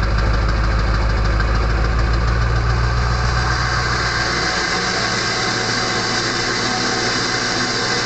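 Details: Early 1999 Ford F-250 diesel, cold start at 34°F on high idle: once the exhaust back pressure valve (EBPV) closes, a thin, constant, loud whistle rides over deep, steady diesel clatter.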